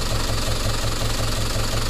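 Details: Lorry with diesel engine, knock appeared suddenly while driving loaded: steady idle with a sharp, regular knock about five times a second over the low rumble; cause not yet found.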